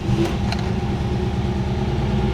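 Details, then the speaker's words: 1969 Mercedes-Benz 280SE (W108) during restoration, started for its first drive: engine settles into a steady, even low rumble with a couple of light clicks early on; sounds smooth and healthy at idle. "I got to say she does sound good. She really does sound good."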